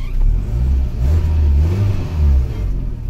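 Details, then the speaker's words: 1996 Toyota Camry with 275,000 miles and an overheating problem, revved in surges: deep, rough, puffing exhaust note with metallic gurgle from an exhaust leak right at the catalytic converters near the engine. "what I can tell can tell just by hearing it smelling it and I looked underneath and I can feel it there's an exhaust leak already right where the cats are by the engine so and you can hear it let's"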